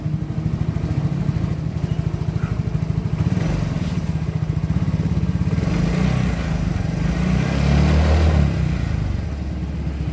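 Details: Yamaha Mio J scooter after diagnosis, sensors, injection and ignition checked, compression starting to weaken: small single putters along at an even idle, picks up smoothly on a light blip and settles back; running normally.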